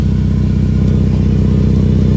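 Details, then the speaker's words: 5th-gen Ram 1500 at idle, louder for weeks, noise isolated near the manifold rather than the muffler: loud, low puffing chuff pulsing with firing; exhaust leak from a sheared manifold bolt. "that the bolt here sheared up so we have an exhaust leak and that is what's causing the the noise there"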